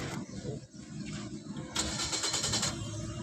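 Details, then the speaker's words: 2024 Suzuki Swift, no scanner faults: steady starter cranking for about a second without catching; crank-no-start because the car was disabled by its tracker via a relay, started once bypassed. "जी गाड़ी में issue ये निकला गाड़ी tracker से of थी इसके relay में सुचक अर्थ वगर सब आ रहा था हमने इसको डायरेक करके स्टार्ट करी तो स्टार्ट हो गई"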